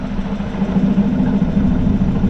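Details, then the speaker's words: BC620 chipper after disc bearing replacement: smooth steady low hum, no rattle or rubbing; earlier bearing protector rubbing noise gone, old bearings sounded like a bag of marbles; now nice and quiet. "And it's not making that noise this time. So that's pretty good. It's nice and quiet."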